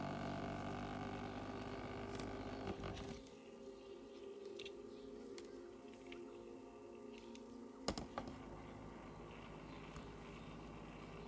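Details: RGB gaming PC case fan with sealed bearing, dusty and gummed with sticky old grease, buzzing, vibrating and humming roughly before cleaning and lubrication; dry or sticky sleeve bearing suspected.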